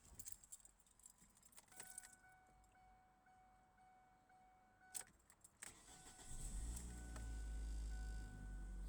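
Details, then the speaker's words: Car that would not start earlier in wet, rainy conditions, now starting with dry ground and blue skies; keys rattle, short crank, engine catches and settles to steady idle. "The ground is kind of dry and stuff, right? Now it did start. Now it did start."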